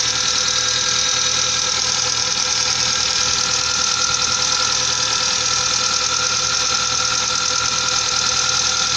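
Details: Light, bright metallic ticking two or three times a second at idle from sticking hydraulic lifters in a 1998 Mazda 626 engine; ticking unchanged after modifying the lifters, which need replacing.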